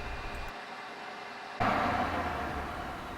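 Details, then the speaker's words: Rug shampooer after a fix for brushes that weren't turning: machine kicks on to a steady, even whirr with light hum and no labouring, brushes turning freely and harder to stall than before. "It seems to take more pressure to stop the brushes than it did before."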